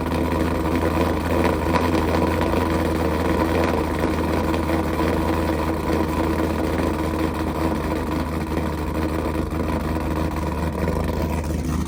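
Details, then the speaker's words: Pontiac G8 V8, first start after engine rebuild: deep, steady, loud exhaust burble with no knocks or ticks, with smoke the owner says is just oil burning off. Running normally. "All right, I'm gonna cut it off for a second. Shit. All right, this motherfucker running though. I ain't gonna lie."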